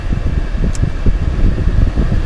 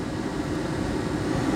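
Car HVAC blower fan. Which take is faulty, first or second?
first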